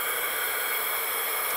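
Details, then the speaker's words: TaoTao 110cc ATV engine, not running, leak-down test before rebuild: steady airy hiss of compressed air escaping from the intake. Zero compression; intake valve found stuck slightly open. "right off the bat we've got a pretty significant leak there's only really three spots air can go out the exhaust port out the intake port or past the rings down the case where we would hear it coming out of the bottom end it's coming from the intake"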